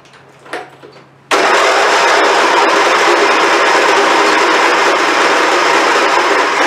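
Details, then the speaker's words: Abused, long-unmaintained Craftsman YT4000 hydrostatic riding mower, hood off: steady starter whirring, engine turning over evenly but never firing, every time. Cranks but won't start; no fuel found in the filter afterward, fuel likely not reaching it. "So there you go. It's not even trying to crank this out."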